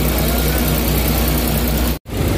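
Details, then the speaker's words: Suzuki Big Eye DA64/DA52W minivan, after an electrical repair for vibration and shut-off at idle with AC on: steady, even, very quiet low hum with no knocks or misses; the engine idles normally. "Okay guys, so ayan na guys umandar na unit guys. Tahimik masyado okay na."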